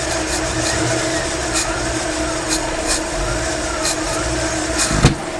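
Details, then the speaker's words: 1955 Chevrolet Nomad after fixing out-of-whack timing, fuel system and ignition faults: steady even idle slightly fast, around 900 rpm, with faint exhaust rattle; running normally. "but I think I got running good again now like I literally parked it then it wouldn't run but it sounds good"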